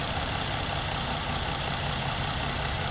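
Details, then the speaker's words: Ford vehicle with a check engine light, idling with a brand-new Motorcraft EVAP canister purge valve commanded via scan tool actuator test: steady, even idle with faint rapid ticking. The new valve is quiet; the old one was suspected of hanging up. "hear how quiet that one is you can barely hear any noise"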